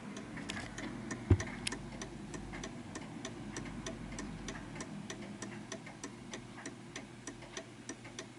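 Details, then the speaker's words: Art Deco chiming mantel clock adjusted into beat on an uneven surface: crisp, evenly spaced tick-tock with no limp between beats; the clock is in beat. "it sounds perfect, and it's on an uneven surface, and it's ticking away quite nicely."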